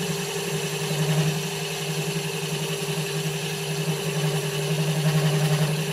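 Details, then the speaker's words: Home-built Gingery milling machine turning a 6-inch aluminium spindle pulley, not bolted to bench; spindle shims and gibs just adjusted, spindle running a bit warm, possibly slightly tight: steady hum with faint pulsing buzz showing vibration through the setup. "As you can hear, there's some vibration going on through this setup also."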